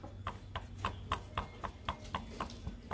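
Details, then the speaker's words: Honda Supra X 125 with a rough engine noise from the middle of the engine. With the engine stopped, the connecting rod is pulled by hand and tapped, giving sharp metallic klek-klek clacks about four per second. The rod is worn and gets replaced along with the left and right bearings. "itu salah satu ciri bahwa stang pistonnya itu ya sudah kena"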